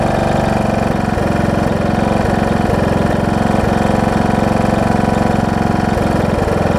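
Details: John Deere D110 mower engine test-running after a full rebuild with a new head gasket, done after a detached flywheel magnet was found: steady, even mid-pitched putter at constant speed, no knocks or misses. Possible oil leak down the valve cover, maybe just burn-off. Normal running.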